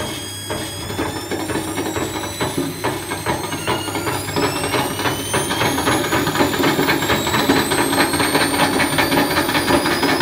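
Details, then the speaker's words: Candy Grand'O Vita tumble dryer driven by a fitted washing machine motor, belt re-tensioned and tracking at the pulley edge: rising whine with irregular knocking and scraping as the overspeeding drum bashes around, tearing plastic off the front. "you could hear it bashing around and it seems to be tearing some plastic off there"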